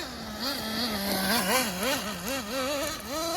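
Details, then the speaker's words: Traxxas Nitro Slash neglected over a year, after a stick jammed in the gears: high buzzing nitro engine warbling with throttle blips; chewed spur gear, its grind hard to hear under the engine, still works. "You can kind of hear it a little bit. The spare gear is kind of chewed, but it still works."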